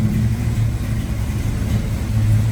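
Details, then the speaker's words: 1972 Dodge Challenger, originally a 318 car, now a 340 V8 with automatic transmission, freshly inspected, starting up: steady, deep, even V8 burble at idle with no misses or knocks; strong, healthy running, with the radio audible in the background. "Originally a 318 car. Now is a strong running 3 340."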